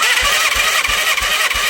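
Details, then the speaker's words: 1987 Yamaha FZR1000, abandoned 16 years (8 in a barn, 8 outside), cranking during a compression test: soft even chuffs about three a second, no catch. Compression is low but present; owner suspects a sticking piston ring. "Okay, compression's low, but there is compression. It might have been a sticking piston ring or something simple like that."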